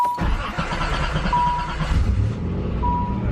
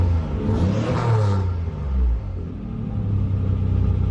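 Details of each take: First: 1988 Nissan 300ZX Z31 project car with a QTP cutout exhaust, first start after 4–5 months of winter storage; the starter turns briefly, it fires right up and settles into a steady, even idle. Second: 1988 Nissan 300ZX Z31 project car with cutout exhaust, first start after 4–5 months, in neutral, heard from inside: a brief rev settles into a low, slightly uneven idle with a faint stumble; owner suspects old gas.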